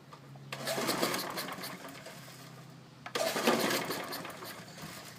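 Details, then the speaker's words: Briggs & Stratton engine fitted to a mower deck: steady hum with a loose, clattery metallic rattle surging over it. Owner suspects a loose blade or the engine mounted crooked or missing a bolt; whole deck vibrates. "see that's what I mean by it rattling huh weird I don't know it might be on there loose or something"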